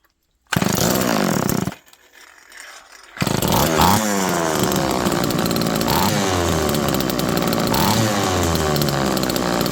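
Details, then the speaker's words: Homelite Super Mini chainsaw, restarted after cooling off: it fires, cuts out and restarts, with pitch hunting erratically on the way down to idle. The owner suspects an air leak from seals, possibly not. "Now this one's acting a lot better now, but it's erratic going down to idle."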